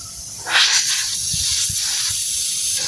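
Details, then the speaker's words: Polytron one-door fridge after the clog repair: with the compressor running and the vacuum pipe plugged, gas hisses steadily out of the open pipe. The new filter, the capillary to the evaporator and the return line to the compressor flow freely, with no blockage. "Lalu kita bisa pastikan di sini keluar tekanan angin apa tidak, ya. Nah, ini keluar tekanan angin, Teman-teman."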